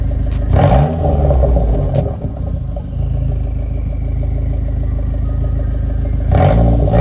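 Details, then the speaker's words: Dodge SRT-4 four-cylinder after a radiator leak fix: smooth, steady idle with two clean throttle blips and no misfire, heat on to fill the heater core, temperature about 145 at idle and 150 when revving. Normal running. "all right guys I'm going to be calling the video here car is idling great uh probably let it run for about 5 minutes uh with the heat with the heat on to pull some coolant into that heater core"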